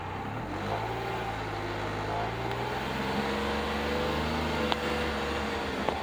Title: 2024 Polaris Ranger 1500 knock/ popping noise